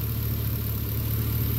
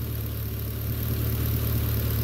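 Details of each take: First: 2011 Chevrolet Caprice PPV with LS L77 V8, worn lifters chirping, now on Redline 10W-60 oil with AFM disabled, about 1,000 miles later and warm with oil pressure up. Smooth, even idle with no tapping: thick oil masks the lifter chirp. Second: 2011 Chevrolet Caprice PPV LS L77 V8 with updated lifters, pushrods and rocker arms, Redline 10W-60 oil, AFM disabled, about 1,000 miles later, warm with oil pressure built: smooth low idle, no lifter tapping, only faint injector ticking.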